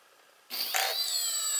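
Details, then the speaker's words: Quanum XJ470 quadcopter on 4S 4000mAh battery, armed indoors via APM flight controller (no GPS lock): sudden start into steady high whir as motors spin up at idle; even, clean, healthy. "you can hear there, it starts up. And then I get movement, and I don't like how it spins on auto, but I guess for a camera rig like this, that might be a good thing."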